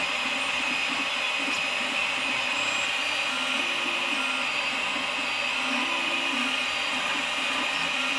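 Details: Malyan M150 desktop 3D printer: stepper motor tones with a constant buzzy rattle along the Y axis during bed movement; owner blames very poor bearings under the table.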